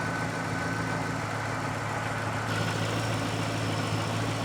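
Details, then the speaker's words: Ford GT after fix of a 15-year intermittent fuel gauge and check-engine-light fault, 5 gallons of fuel added: smooth, even low idle with a steady hum and no misses, ticks or knocks; no engine lights, idles normally. "Sounds good. Still no lights. Nope."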